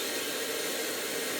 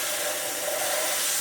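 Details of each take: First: Numatic PPR370 commercial vacuum (2022): steady, even rush of air with no pulsing, rattling or pitch change; airflow measured 19 mph (about 8 m/s), normal suction. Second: Numatic PPR370 commercial vacuum (2022), owner complains of reduced performance: steady airy rushing hiss with a thin whistle near the top, no motor strain; airflow about 13 mph, suction down from a blocked hose.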